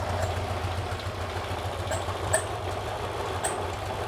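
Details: Porsche 912 engine stored over a decade, first run after cooling fan adjustment, slightly warmed: steady low even idle with light ticks, no misses or knocking; top oil leak fixed, some smoke from underneath.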